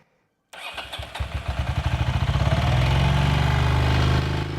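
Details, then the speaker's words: Carbureted motorcycle restored from long storage, running on its own fuel system after a plugged vacuum line was fixed, already running rich: lumpy pulsing idle, but it chokes and stumbles when throttle opens; fuelling fault, carburettors suspected. "And with more air that goes in, there should be more fuel going as well. Except, it doesn't. Because as soon as I try to rev it, it chokes."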